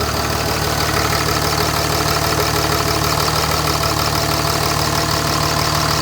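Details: 2005 Dodge Ram 2500 5.9 Cummins turbo diesel, 194,966 miles, stone-cold start at 34°F after grid heater warm-up: even clatter about three beats a second, steady with no misses or stumbles; normal cold-start idle.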